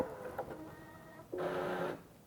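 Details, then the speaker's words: Espresso grinder adjusted finer by button: quiet clicks, then a brief half-second burst of steady humming grind, starting and stopping cleanly. It grinds while adjusting finer so the burrs don't jam, a normal behavior. "listen as I press that button again you'll notice the grinder will turn on as it adjusts the grinds"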